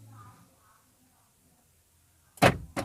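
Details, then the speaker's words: Car central locking after resetting the black control box under the steering column by unplugging and reconnecting its plug: key on, doors auto-lock, key off, they unlock; two quick solid clunks, normal lock actuator operation. "ನೋಡಿ, lock ಆಗ್ತಾ ಇದೆ. ಈಗ of ಮಾಡ್ಕೊಳ್ಳಿ. ನೋಡಿ, unlock ಆಗುತ್ತೆ."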